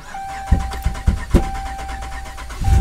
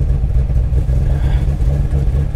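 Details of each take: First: Salvage-auction Ram with about 200,000 miles, jump-started on a boost: a few sharp pops during cranking, then an uneven, lumpy run with backfiring; warning lights flashing and smell of raw gas. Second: Salvage auction car listed as non-runner: deep, steady rumble with even beat, no knocks or rattles; starts and runs normally.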